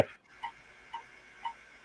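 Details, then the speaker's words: Macintosh IIx hard drive after the logic board recap: three sharp, regular ticks about half a second apart over near silence, repeated clicking; the Mac shows a flashing question mark. The drive is dead. "That drive is toast before I got to it. Yeah. Flashing question mark. Yeah. Okay. That drive's a goner."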